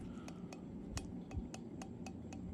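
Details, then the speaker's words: HUXWRX HX QD titanium suppressor shaken by hand: light metallic clicks, roughly four a second, from something loose inside; owner suspects welds of the 3D-printed core have come loose from the sleeve, not confirmed. "I think there's just some welds coming apart uh disconnecting it from the sleeve so here's the example so if I just put it here the whole kind of unit I feel rattling in"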